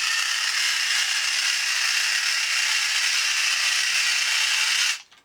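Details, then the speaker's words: 2003 tin-toy reproduction of a 1950s Radar Robot walking on two D batteries: loud, harsh, fast ratcheting gear whir that runs steadily then cuts off; excessive gear noise, possibly from gear binding in the design. "and as you can hear a lot of gear noise which is one of the problems"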